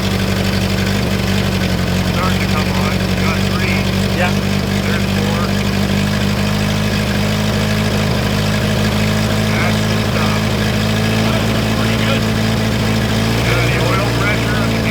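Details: 1960 Jeep CJ, first cold start in years at about minus 30 on a new battery; steady, even low idle with an unchanging beat and no knocks or misses. Normal idle.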